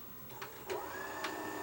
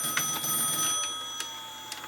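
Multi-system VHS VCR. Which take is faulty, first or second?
first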